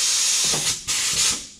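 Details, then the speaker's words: Tire changer rim clamp valve leaking compressed air, fed by its own air line into the main tee: steady, sharp hiss, still leaking a good bit but far less than before, when it lost pressure faster than the compressor built it. "now you don't really you barely hear it hissing right now it's leaking quite a good bit but never like it was"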